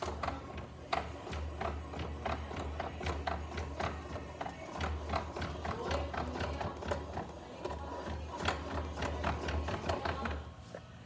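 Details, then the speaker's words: 2024 Honda PCX: steady light metallic clicks and clunks repeating with rear wheel rotation over low hum; dealer replaced wheel without fixing it, owner found a loose part inside rear wheel; loose rear wheel rattle. "eu sei que essas motos tem uma folga na roda no eixo né mas esse barulho as motos não fazem"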